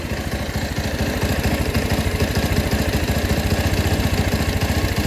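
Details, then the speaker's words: Rouser 220 single-cylinder motorcycle that would not start; battery disconnected to test charging, idle uneven and sagging, beats wandering, barely holding on and nearly stalling though it does not die; idle being raised. "taasan pa bro naghihingalo Hindi naman siya namatay mga bro kaso naghihingalo"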